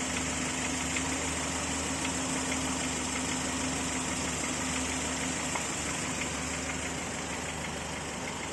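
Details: Volvo 940 at fully warm idle, noise appearing only when warm: light, steady tapping about three per second over the engine hum; piston slap suspected, unconfirmed.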